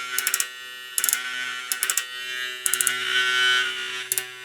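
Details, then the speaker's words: Hair clipper with a new Zircon blade fitted: a steady high buzz broken by short bursts of quick clicking rattle about every second. Owner suspects the blade is touching the bottom of the carriage. "E pentru că lama pare să atingă partea inferioară a căruciorului. Cred că asta ar putea fi cauza sunetului ăla."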